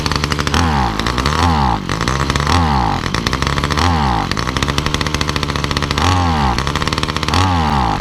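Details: Titan multi-tool hedge trimmer two-stroke, cold start after priming, unused about three days; revs climb on each blip then sag and stumble, bogging whether cold, warm or part throttle; owner suspects the carburetor and plans diaphragms or a cheap replacement carb.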